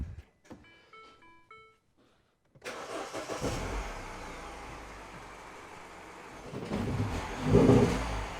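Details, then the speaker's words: Mini Cooper R56 on a cold start, with a complaint of misfire when cold for the first 1–2 miles: the engine dies, then restarts roughly and stumbles when the throttle is blipped. "now it's trying to restore again especially when you just bleep the throttle right so that's what i wanted to capture this morning"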